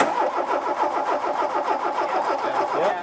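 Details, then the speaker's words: Mk2 VW Golf GTI barn find, parked 20 years, replacement 8-valve engine with spark confirmed after firing order fix: steady rapid cranking for three seconds, never catches, no fuel pump noise; crank no start, no fuel delivery. "are you hearing when you turn back here you're hearing a fuel pump I'm hearing nothing no no fuel pump noise"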